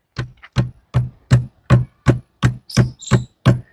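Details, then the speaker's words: Royal Enfield Himalayan 450 accessory top box, when empty, makes sharp hollow clunks about three per second as it is shaken, rattling on its mount; the noise appears when the box is emptied. "यह आवाज सुनाई पड़ रही है यह कमी है actually क्या है कि ये टॉप बॉक्स जब बिल्कुल खाली होता है"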